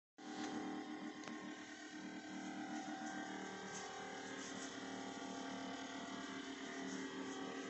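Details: LG fridge: loud steady whooshing roar with a rough scraping edge, far noisier than normal, as frost build-up catches the fan.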